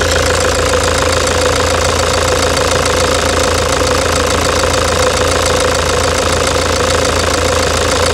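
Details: 2009 Toyota Hilux diesel idle with a stuck injector: sharp regular knock on every firing, about three a second, recorded before the injector was replaced.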